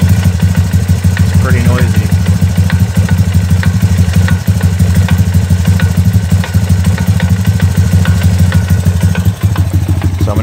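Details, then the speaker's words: 2002 Honda TRX250EX, low hours, left outside for 10 years, before auto clutch adjustment: loud idle with a rough loose knock about three times a second, traced by stethoscope to the clutch side. Owner suspects auto clutch chatter, unconfirmed. "so after playing with the adjustment on the auto clutch i was able to get the chatter to soften up a little bit but from what i was reading on forums this is just the nature of the beast with these auto clutches at least on the 250 ex"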